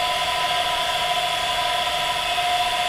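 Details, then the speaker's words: Solar/power-station-powered water pump on an automatic pressure controller: steady, even mid-pitched whir with no knocks or surging as pressure builds, then a slight delay before the controller shuts it off automatically; normal operation. "meron lang siyang konting delay kasi iniipon niya yung pressure dito. So ayan, namatay na siya. Automatic siyang namatay."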